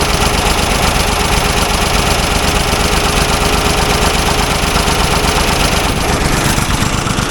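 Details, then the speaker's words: Old Ford loader backhoe left sitting, fed ether through the distributor breather port: rough, uneven running at about two beats a second with loud clatter; good spark, but it runs only on ether or carb cleaner, needs choke; carburetor rebuild planned. "so at least we know what uh ignition wise it's got a good spark and it's firing but it can't run without ether or carb cleaner"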